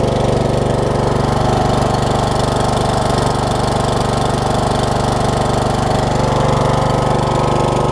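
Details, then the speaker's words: 2006 Troy Bilt Pony riding mower (MTD, VariDrive 7-speed) after new carburetor, fuel lines and drive belts, test mowing: loud even single-cylinder beat at steady speed, no pops, misses or backfires; runs cleanly, backfiring apparently cured. "Alright, I think its backfiring days are done, thankfully."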